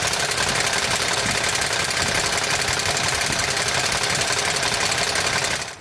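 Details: 2007 Toyota Tundra 5.7L 3UR-FE V8, 205,000 miles, bank 1 cold-start noise: fast light ticking steady over idle from under the belt cover, stopping at shutdown; many shops failed to find cause, hydraulic tensioner suspected.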